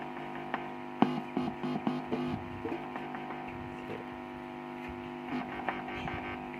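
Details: SKG microphone amplifier that powered on but gave no speaker output, after repair: steady low mains hum with crackles as the input is touched by finger; signal reaching speaker again.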